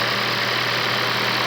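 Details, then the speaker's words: Car started after sitting about a month, oil clean, no coolant loss or overheating: steady, even idle with constant low hum under heavy fan-like hiss, no knocks or misses — engine healthy, idles nicely. "that's not using coolant engine sounds healthy idles nicely"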